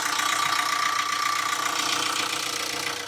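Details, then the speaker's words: Vauxhall Insignia 1.6 CDTI diesel, 164,000 miles, first start after timing chain replacement: light, fast even tick over a smooth idle, no lumpiness or rattle; normal idle. "right well there we go sounding is is generally sounding like a little singer sowing"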